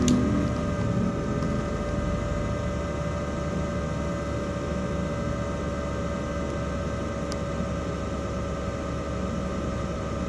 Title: Another Loud Noise In Laptop Cpu Fan While In Roblox Play